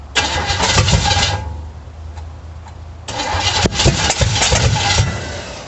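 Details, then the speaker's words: 350 V8 in a 1937 Dodge Brothers, first start after wiring: ragged, uneven firing with sharp pops on hand-opened throttle, backfiring through the carburetor; firing order just corrected, timing unverified, battery going dead, cause unconfirmed. "Backfiring through the carburetor."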